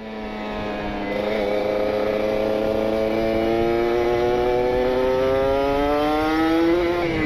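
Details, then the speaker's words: Kawasaki Ninja RR two-stroke with PWK28 carb, pilot jet 42, main jet 132, R9 exhaust, riding: crisp note climbing smoothly to about 7000 rpm, pulling cleanly; rich (wet) jetting setup still rich at the top. "7.000 RPM 7000 ya ini masih basah sampai ditarik enak teman-teman"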